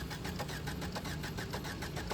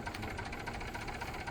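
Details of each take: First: Maruti Swift Dzire diesel after head gasket repair, first start of the freshly rebuilt engine: a long, steady crank while diesel supply fills, then it catches and settles into an even idle. The sound has changed and it now runs healthy. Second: Maruti Swift Dzire diesel with smoke and hard cold-morning starts needing a push or a petrol smell to start: an uneven, lumpy idle that misses beats, with shaking and heavy engine vibration. It is a full misfire from a blown head gasket.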